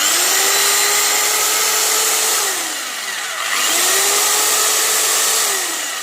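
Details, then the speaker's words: Electric drill after repair, with the ball refitted, balance corrected and cover reassembled: it spins up twice to a smooth, steady whine and winds down cleanly. The loud internal noise is gone and it runs normally. "और उसका तो दोस्तों इसके अंदर से बहुत जोर से आवाज़ ए रही थी वह ठीक हो गई और इसका बैलेंस भी ठीक हो गया"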